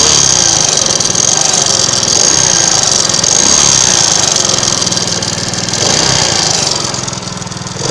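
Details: Alpha 110cc moped engine running at steady speed: buzzing with uneven tapping under the exhaust note; knock present, cause unknown.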